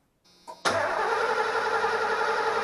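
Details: 1989 Ford E250 Econoline van that suddenly lost spark: starter spins the engine with a steady even whir but it never fires; crank no start traced to a failed ignition coil.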